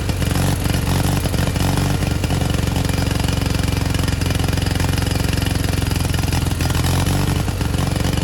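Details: 1987 Gravely Professional 18G riding mower, Kohler Magnum 18 engine with OEM 35-year-old carburetor; steady drone whose pitch drifts up and down by itself as the carburetor linkage moves without the throttle lever being touched; engine surging, carburetor said to be out of adjustment.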